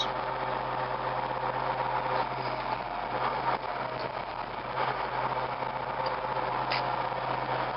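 Even, steady diesel running with a smooth mid-range drone and no knocks or rattles; the engine idles evenly and sounds healthy.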